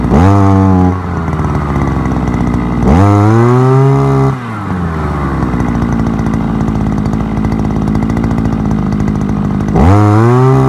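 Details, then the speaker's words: Forte two-stroke petrol brushcutter, outdoors after piston kit replacement for lost compression and knocking (owner blames bad or no oil): sharp quick rev bursts then steady even idle; clean, healthy compression. "а-а-а ось заводиться все сарка працює попробуємо ще раз"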